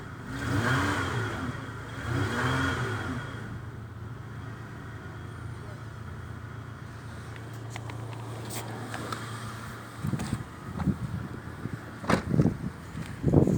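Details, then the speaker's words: Toyota Windom with 4VZ-FE V6, previously shaking, misfiring, not revving and smelling of fuel, after a simple fix: two clean revs and smooth return to steady idle; running normally. "Все работает, все нормально. Причина была абсолютно банальная."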